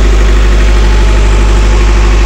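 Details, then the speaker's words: Intergen/MWM 40 kVA diesel genset at 382 hours, 13.7 V battery, on auto mode, cold-start warm-up at idle. Steady, even drone with no knocks or misses. It pauses before transferring power and only switches over once stable. Normal idle. "Dia ada jeda main, dia tidak langsung mengoper. Tapi sudah stabil dia baru ngoper listrik."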